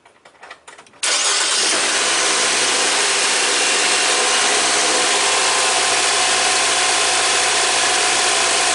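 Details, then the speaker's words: 2016 Nissan Versa, 140,000 miles, first start after tune-up with new spark plugs, air filter and cleaned throttle body: crisp start, then a steady, slightly fast idle with no stumble; high idle blamed on throttle body cleaning, relearn planned. "it sounds like it's probably idling a little bit high and that's probably due to cleaning the throttle body and it'll probably come down on its own give it enough time"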